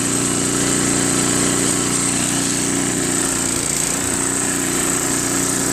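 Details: Warm Craftsman 522 snowblower with Tecumseh engine, after three carburetor cleanings including ultrasonic, corrected linkage and tightened auger cable. Steady, even high-pitched drone with a brief dip near the end. Normal running.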